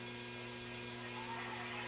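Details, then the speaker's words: Sentinel 430 TV during restoration, first test with test CRT after replacing bad components and working on rear controls: quiet steady hum with faint high whine, no crackle or arcing; high voltage coming up normally. "Can hear the high voltage kicking in."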